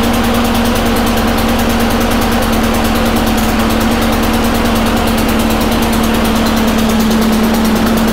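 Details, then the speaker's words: Honda mower single-cylinder engine after cleaning the carburetor bowl to cure surging (water or debris in carb suspected): fast, even idle with no hunting or surging, steady drone; now running well. "but yeah seems to be working pretty good now"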